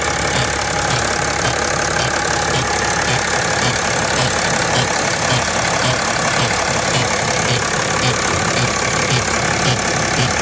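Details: 2010 BMW X5 E70 at idle: steady idle with a repeating tick about twice a second over the engine; strange engine noise, cause unknown.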